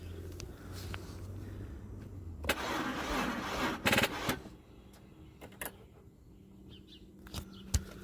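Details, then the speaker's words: 2002 Audi A4 project car no-start, warning lights on, starting fluid tried: short brisk cranking bursts with long gaps that never catch; owner suspects battery not charged enough or a bad connection, plans to charge or jump it. "so you guys can hear the battery's still not charged enough that's where because these lights are one so something is not getting a connection somewhere"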